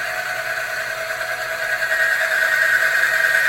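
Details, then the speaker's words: Bearing friction test rig, Mobil 1 oil baseline without Runwell additive, weights added to the loaded bearing and motor: high steady squeal growing louder and harsher as load increases; bearing friction noise under load. "You can really hear the noise. That's the friction."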